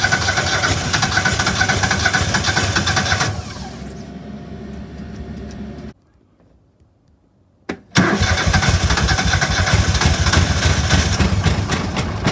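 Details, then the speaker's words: Argo that wouldn't start after sitting all winter: it catches and runs rough, sags, then cuts out for two seconds before refiring. A bad but not blown fuse is cutting power to the fuel solenoid; the fix was a fuse replacement. "That's pretty good. Better than uh what it was doing. At least it ran a little bit."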